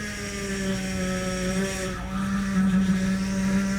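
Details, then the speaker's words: 2007 Range Rover Supercharged (L322) at idle during bleeding after high-pressure power steering hose replacement: steady moaning whine near 200 Hz as wheel turned lock to lock; aerated, bubbly fluid making pump noisy. "We're gonna start it back up and we're gonna turn it lock to lock, and then we'll turn it back off. Okay, it's making some noise."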